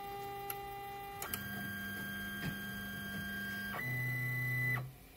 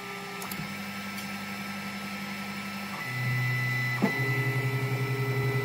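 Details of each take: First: Polaroid Playsmart 3D printer auto-homing before a print while heating to temperature: clean stepper-motor whines shifting pitch per axis, then a firm stop; homing runs normally, though the bed's left side keeps losing level after prints. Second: Polaroid PlaySmart 3D printer on the first layer of a reprinted job: stepper whirrs, then a steady pulsing click as the extruder skips because the bed has lost its level, sitting too close to the nozzle and low on the left.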